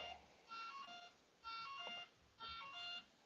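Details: RC setup with ESC disconnected from the radio: clusters of high chirpy beeps about once a second. The ESC is signalling that no motor is connected.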